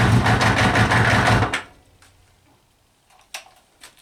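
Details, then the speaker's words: Kawasaki Eliminator ZL600 old four-cylinder bike that had not run, with fresh petrol, new plugs, cleaned carbs, new battery, fresh air filter and old oil, runs evenly on choke briefly then shuts off cleanly: normal running. "guys good news I'm not gonna run for much longer because the oil over there needs changing badly but the bike is running it's running and this is why I love old-school Japanese bikes"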